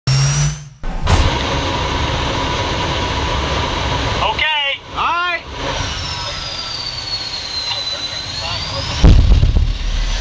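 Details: Pratt & Whitney F100-220C fighter jet engine (F-15/F-16) on steady roar broken by sudden sharp explosive bangs of a compressor surge/stall.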